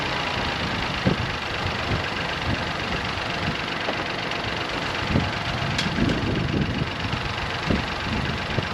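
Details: Crash-damaged Copart car running on jump leads with fault codes still present: quiet, even idle with only faint clicks and no persistent knock. Engine sounds normal.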